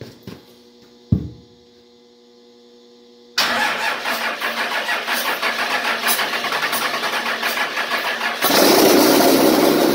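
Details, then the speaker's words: 24V Cummins standalone-wired for a Dodge delete swap, first ever start: quiet clicks, then engine catches and settles into a rough uneven idle; hard starting that needed some ether, cause unclear. "um it did need a little bit of help from some ether but it does run"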